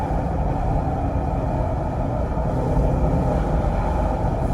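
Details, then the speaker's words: 2007 Range Rover L322 4.2 V8 supercharged at about 16 years old, under full throttle in sports mode, recorded with the window open. A deep, even roar pulls hard with wind noise and no misfire or knock: normal engine under hard acceleration. "I really hope the sound of the engine and the sentiment was caught. Because it's such a beautiful engine, such a beautiful car."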